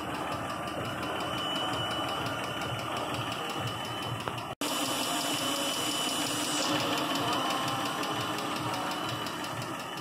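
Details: 2014 Jeep Grand Cherokee V6 idling with a steady light ticking knock about three a second from a failed roller rocker arm and worn camshaft; camshafts, rockers and lifters being replaced.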